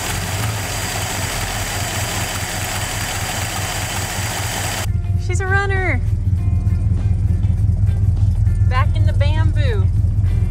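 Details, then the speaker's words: Plymouth Fury that sat for five years, just started: even, steady low thrum at idle with no misses or knocks, music partway; idles smoothly, like brand new. "don't give up on them oh my gosh idle's like it's brand new that is crazy"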